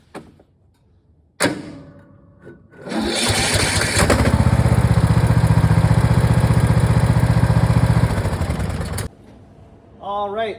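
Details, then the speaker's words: Cub Cadet riding mower with 424 hours, used year-round with snow plow: short cranking, then the small engine catches and runs unevenly for a few seconds before stopping; hard starting, owner suspects valves out of adjustment. "As you can see, the CubCadet's having a hard time starting. So, what I've seen is the valves get out of adjustment after a while."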